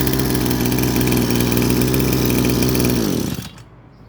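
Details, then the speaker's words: Small single-cylinder pressure-washer engine after carburetor cleaning and reassembly, fixing stalling and poor acceleration: steady, even idle with no hunting or surging, then switched off and winds down; sounds healthy. "เครื่องเดินเบานิ่งเงียบเรียบร้อยส่งงานได้ครับจบการโม้ครับ"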